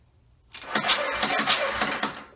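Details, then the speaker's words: 1994 Yamaha Moto 4 350 ATV, sold as having a blown engine, cranked with the spark plug out: soft, uneven puffs from the plug hole that blow a finger off it; compression present but weak. "Yeah, we got some compression. Blew my finger out of the spark plug hole. There's not a lot there, but there's some there."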